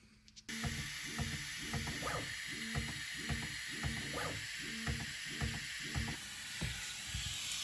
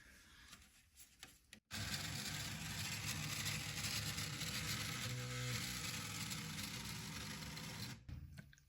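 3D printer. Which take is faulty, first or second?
second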